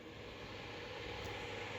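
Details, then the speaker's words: Acer Predator X27 monitor cooling fan at 100 percent, about 3200 rpm: a constant airy rush with no rhythm; the fan is very loud at high speed, which it hit constantly at 144 Hz before being vacuumed, and is due for replacement. "this is annoying this is very noisy so this was constantly on like 100 percent"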